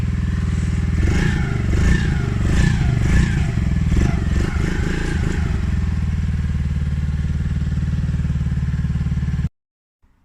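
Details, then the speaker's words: Polaris Outlaw 50cc quad running on choke after carb clean and clogged pilot jet cleared (had leaked from overflow, wouldn't fire); revs lifted by choke. Runs fast and fairly even, some clatter early, then a steady drone: normal running. "I've just put the choke on there, that's why the revs have lifted."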